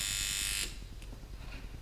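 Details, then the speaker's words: Mojobox tattoo machine at lower voltage with stroke knob backed out for more stroke: sharp buzz drops to rough, uneven grainy chatter. "But at lower volts, it kind of gets that grainy sound."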